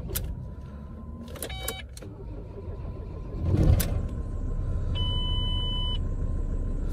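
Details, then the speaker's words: Ford Transit Mk7 3.2 TDCi diesel just after an oil and filter change, cranked a few times without starting to prime oil: spins over with a few ticks and clunks, then catches into a steady idle; oil light goes out, normal start. "But when I'm starting a car or an engine that's just had oil in it, what I try and do is I try and crank it without starting it a couple of times first, just to bleed it up."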